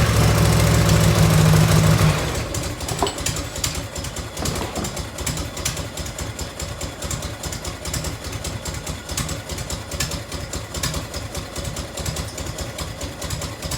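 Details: 1990 Harley FLHTC Evo V-twin, cold start on choke and fuel reserve, heat shield off. Drops to a lumpy idle with a sharp, regular tick about three times a second: exhaust leak at a crooked header clamp.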